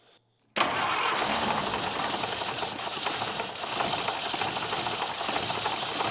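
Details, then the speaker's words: 1950s hot rod, Model T with 1932 Ford Model B engine, after improving exhaust and intake leaks: runs with uneven lumpy beat and raspy exhaust; cylinder three has significantly lower compression, suspected cause of rough running. "you could tell that it uh changed the pitch of its tune when we did that but it's still not running quite right and obviously we know compression is significantly lower on three than it is on the others so maybe that's part of it"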